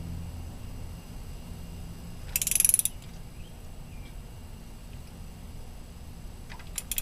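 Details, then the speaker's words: 1994 Mazda MX-5 Miata, new spark plug hand-threaded then tightened to about 180 inch-pounds: short burst of sharp clicks near three seconds and another at the end as the torque wrench breaks over at set torque. "And now it's time for your torque wrench. Okay, we've got the torque wrench in place, and again we're going to tighten to about 180 inch-pounds."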